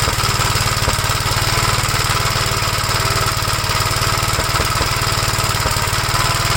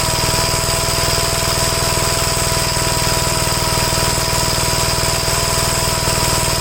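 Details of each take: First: 1956 Gravely L still running rough with the carburetor from a 1957 LI swapped on, choked, bell crank changed for the governor rod. Uneven, choppy single-cylinder thump at about three beats a second over a rattle. Owner suspects a governor over-rev damaged the head gasket or something else. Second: Gravely tractor after carburetor swaps and adjustments, running properly: a steady, even single-cylinder beat at constant speed with no misses or surging. This shows nothing was ever wrong with the carburetors.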